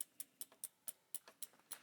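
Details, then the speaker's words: Bicycle rear derailleur with the B-tension set too close: sharp, light ticks about four or five a second as the cranks turn. The upper guide pulley is striking the largest low-gear cog, so the B-tension needs dialing out. "What I want is for that top guide pulley to be as close to my rear cassette low gear as possible without it making a racket. And again, I'll try to exaggerate that."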